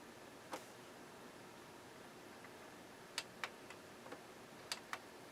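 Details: Sony BDV-E2100 Blu-ray system, cleaned of dust, eject pressed after power-on: sparse single and paired clicks over several seconds in a quiet room; the loader tries but does not eject.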